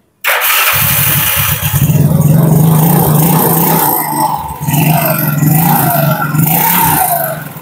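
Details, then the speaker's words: Yamaha Mio Sporty scooter that had lost power, started after gearbox reassembly and an oil refill. Starts at once and holds a firm, even drone, picking up smoothly on each throttle blip. Power restored; runs healthy. "Kita coba starter. Tuh, Guys. Ada tenaganya, Guys. hentakan ya kayak tadi"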